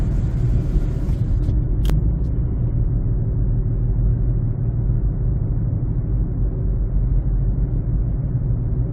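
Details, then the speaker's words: 2007 Honda CR-V, recorded while driving: steady low droning rumble from flat-spotted, cupped Black Lion tires about six years old; noise moved from rear to front after rotation and was gone after replacing them with Bridgestone Ecopia tires. "so there was some uh flat spot on the old tires that is causing the noise"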